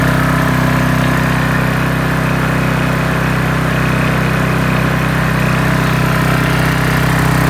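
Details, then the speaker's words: Briggs & Stratton 8.75 from a Toro Timemaster with a failed governor and suspect compression release, test run after reassembly. It holds a steady, even drone with no hunting or surging and runs normally, though some smoke appears. "okay this is the test run after we put everything back together so give it a pull Darren"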